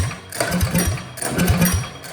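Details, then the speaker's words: Old Russell 196cc four-stroke on a Baja mini bike that sat for many years, after a carb clean, giving chugging pull-start bursts that die away without catching; a broken idle screw is suspected. Cranks but won't start. "I cleaned up the carb. It was a total disaster. Hopefully this doesn't blow up in my face. Still doesn't want to start."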